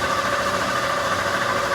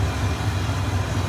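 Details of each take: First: 1988 Ford F150 5.0L V8: long steady cranking about 10 seconds before it starts and runs very rough; engine coolant temp sensor suspected of dumping excess fuel, cranks much easier with it unplugged. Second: 1988 Ford F150 5.0L V8 after a new brass ECT sensor was installed on the water tee. Low, steady burble with an even pulse and no misses. It fires right up, the check engine light is gone and it idles normally.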